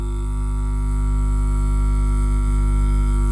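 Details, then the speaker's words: 400 W mono power amplifier: loud constant low mains hum with buzzy overtones, only slightly reduced by twisting with the ground wire; hum pickup from input wiring. "Nah, ini kita dekatkan, kita lilitkan. Nah, ini ya. Ini dililitkan. Suaranya sedikit berkurang, Lur."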